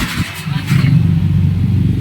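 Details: Motorcycle engine with "chocolate engine" knocking, revving with a rough, knocking low-end beat under the exhaust note; cause suspected, not confirmed.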